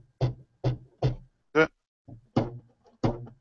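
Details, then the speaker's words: Big Box 3D printer (UK edition) during assembly, drive belts plucked after matching tension: sharp low twangy plucks decaying quickly with clear matching tone; correctly tensioned belt, neither slack nor overtight. "Match both to that. Yeah, that sounds about right."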